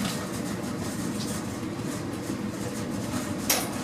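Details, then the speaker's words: Newly installed gas clothes dryer on first start: a click, the burner flame igniting, then a steady, even rumble of the turning drum. Normal running. "And I don't know if you heard it, but this thing made a little click, and you can hear the fire flame up."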